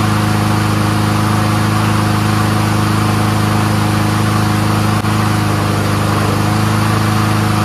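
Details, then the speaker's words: Troy-Bilt 21-inch front self-propelled mower with Honda engine, warming up: steady single-cylinder putter at constant speed, no misses, surges or knocks; runs smooth on full choke and full run, normal. "stop foreign runs great really smooth there ain't nothing dirty about that carburetor runs on full choke runs on full run uh self-propulsion works"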